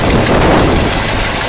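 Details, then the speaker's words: 1964 Mercury Park Lane Breezeway V8 at idle after a cold start: a fast, faint ticking puff over a steady rumble from exhaust leaks, which the owner thinks are one on each side. "now one thing still got to do there's still those exhaust leaks no good think there's one on each side actually I can feel one right here"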